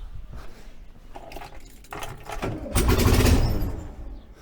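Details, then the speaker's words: VW 1303S Beetle, rebuilt 1915cc engine, after re-setting distributor timing closer to the mark: fast cranking chatter about four beats a second with stronger puffs as it tries to catch but doesn't quite run yet. "okay we are definitely closer to the mark let's try that again"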